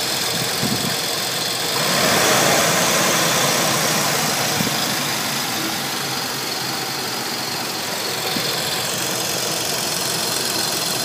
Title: 300ZX TT Vacuum Leak